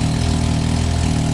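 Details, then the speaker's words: Can-Am X3 XRC just fitted with an RPM Powersports electronic-cutout cat-delete exhaust, cutout closed. Steady low idle rumble with a faint puffing chuff on the exhaust note; exhaust leak suspected at the band clamp, not confirmed. "do you tighten the band clamp that sounds like a leak i think it's that band clamp"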